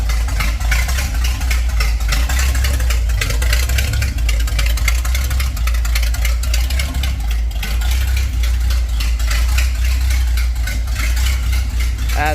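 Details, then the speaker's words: 1930 Ford Model A with a 283 small-block Chevy and Borg T10, parked since 1973, running open at the manifolds with the exhaust removed. Deep, loud, rough truck-like idle with an open crackle. "expected, [Music] feel like it definitely could sound better with those tubulars. Also, maybe a little less like a like a truck."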